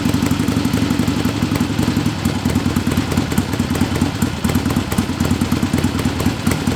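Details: Barn-find 1961 Harley-Davidson Sportster XLCH Ironhead with knockoff S&S carb, fuel squirted into the carburetor because of the rusty tank: uneven loping V-twin idle with crisp pulses and no misses; runs normally.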